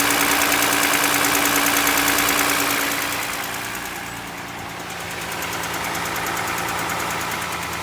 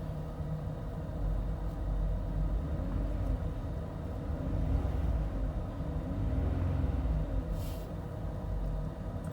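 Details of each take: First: Toyota Highlander 2GR-FE engine at 150,000 km, cold start. Sharp, even knocking about three times a second over idle, described as piston knock when cold. The engine burns no oil and has no oil leaks, and it is headed for a rebuild. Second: Toyota Highlander 2GR-FE after an overhaul for cold piston knock, warmed to operating temperature at about -40°, heard inside the cabin: quiet, smooth hum with light throttle blips and no knocking; the engine runs healthy.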